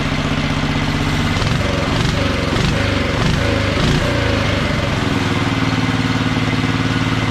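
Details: Wheel Horse mud mower with Tecumseh engine, Mikuni-style slide carb, governor arm removed, needle clip at richest position: small single holds a steady, even beat with no misses or surging; running normally.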